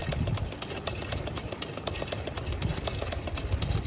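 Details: Toyota Commuter running on LPG, after injector cleaning and repair of a cracked gas-system water hose; crisp, even injector ticks about four a second over a low hum, injectors now working well. Earlier complaint was vibration and stalling at idle.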